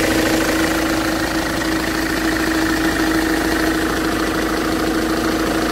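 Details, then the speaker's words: Ford Transit engine: dull knock about three per second over idle; injectors checked and ruled out; engine stalled abruptly then jerked backward, owner suspects the crankshaft pulley came apart. "Резко заглох, остановился мотор. Звуки какие-то непонятные были. После того, как заглох, через секунду буквально дернулся в обратную сторону. Может, даже шкив коленвала развалился."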